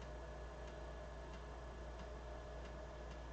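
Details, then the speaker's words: BBC Master Compact floppy drive reading a disc: sharp click about every two-thirds of a second over steady motor hum as the head retries track 0; drive stumbling, may need more attention, cause not confirmed. "It stumbled on track 0. Interesting. That one might need some more attention."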